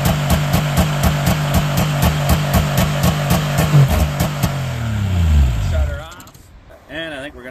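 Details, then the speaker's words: 1998 Yamaha V-Max 700 snowmobile (triple) in pre-season tune-up, running without throttle touched at a high idle: rhythmic bouncing surge about twice a second, then sags and dies, as the throttle override switch cuts the engine in and out. "so you hear that bouncing away that's the throttle override is cutting it in and out"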